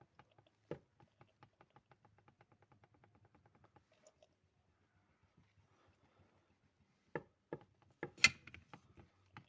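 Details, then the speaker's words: Ford Focus 2 facelift, automatic, 1.6: steering rack shaft lifted slightly by hand, producing quick runs of sharp metallic knocks; first suspected stabilizer links, probably slack from a worn rack support yoke with wear marks. "стучала она получается потому что не даже можно одной рукой не удобно то есть я сейчас чуть чуть приподымаю получается этот шток и начинает начинается стукнуть"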